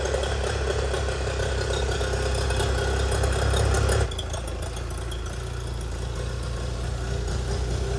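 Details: 25hp Mercury outboard after carb rebuild (junk in carburetor), new fuel pump parts and spark plugs, running on the shop tank: a steady buzz at constant speed with even firing, then a slightly quieter settle. It is running normally.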